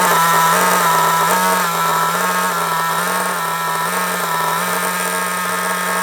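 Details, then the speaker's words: Kyosho MP9 nitro RC buggy after tick-over screw adjustment: a high, steady buzzing idle with only slight waver that holds without stalling, staying solid even when braking. Idle is now correctly set. "The tick over stays solid. That's because I got it balanced perfectly. Absolutely perfect."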